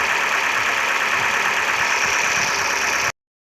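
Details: Opel Astra H three-door hatchback, Z16XEP 1.6 engine, after intake manifold repair for a knock: steady, even idle with a bright mechanical whirr on top, no knock or rap; engine sounds healthy.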